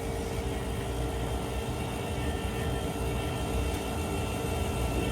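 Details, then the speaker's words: Diesel pickup with the engine off and the key on: the electric fuel lift pump gives a steady whir at constant pitch with no surging or grinding, so the lift pump is running normally. This is checked during air-bleeding. "Okay. All right, Dave, will you go in there and um key this thing on and let's see if this lift pump comes on. Cuz if the lift pump's not working, then that means this thing's drawing in fuel."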